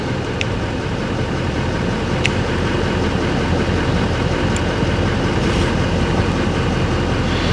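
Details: GMC Sierra 2500HD Denali, 6.6 Duramax diesel, a flood-damaged Copart vehicle, low on fuel: steady, even diesel clatter at idle with a low rumble and no knocks or misses. Normal idle.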